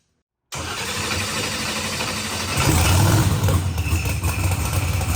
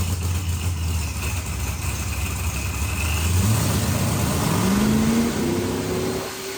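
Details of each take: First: Procharged billet-block LSX Corvette on the dyno: deep engine note swells into a full-throttle pull without misses, pops or stumbles, coming up quick; clean, smooth pull. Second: Procharged billet-block LSX Corvette on the dyno: the supercharged V8 winds up hard, then stumbles briefly near the top, twice. Over-fueling is suspected, but the data didn't look over-fueled, so the cause is unconfirmed.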